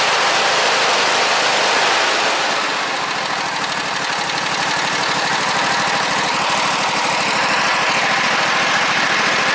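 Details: John Deere mower V-twin engine running rough and hollow with a lopsided beat of about three pulses a second, only one cylinder firing, before teardown and repair.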